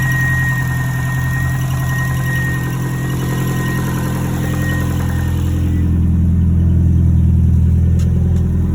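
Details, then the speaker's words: 2007 Subaru Impreza WRX, project car just got running after hard start: rough idle with regular low knock about three per second, heavier on acceleration; rod knock suspected; intake cam position sensor circuit code also stored. "so this is what she sounds like i got her to run but there's a slight knock and it gets heavier once you accelerate"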